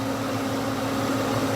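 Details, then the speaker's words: 1996 Ford Mustang after A/C recharge and service-port repair, engine idling: steady even compressor whir from the front of the engine with no rattles or squeals, clutch cycling on and off, no leaks, cabin about 40°F; normal A/C compressor operation. "There we are. She's working properly. I don't have anything leaking on in here. Right now. And she's cycling."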